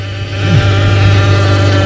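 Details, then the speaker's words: 2012 Dodge Grand Caravan with a 62TE transmission, 300k miles, Uber use, codes P1790 and P0944, reportedly won't pull. A steady low whine of constant pitch holds over the running engine. Suspected front pump failure with debris in the transmission, unconfirmed. "I can almost guarantee you she have a front pump failure and a lot of trash in her pants."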